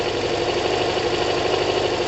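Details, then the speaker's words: Kawasaki ZL600 four-cylinder motorcycle with new coils, tuned carbs, valves done and firing order corrected; left to warm up, not even warm, coolant not yet connected, steady smooth hum with no misses or stumbles: normal cold idle. "wow yes wow what a sound oh man what a bike guys what a bike wow it's not even warm it's not even warm bloody hell"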